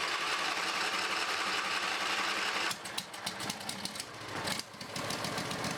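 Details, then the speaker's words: Briggs and Stratton 20HP V-twin Model 40, sat 3–4 years: steady engine note breaks into uneven, stumbling firing with gaps; running a little on its own, rough running, carburetor needs cleaning. "okay guys I got it running a little bit on its own but the carbur is going to need to clean"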